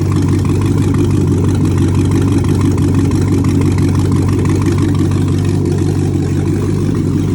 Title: 2008 Corvette Z06 Running out of Fuel Causing No Start Condition